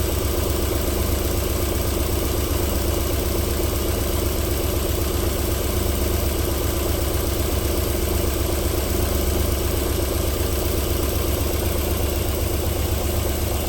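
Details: Cold start-up idle of a 1994 Alfa Romeo 3.0 24v QV engine: steady, even, silky-smooth low idle with no knocking or ticking; knocking returns after about 4 minutes.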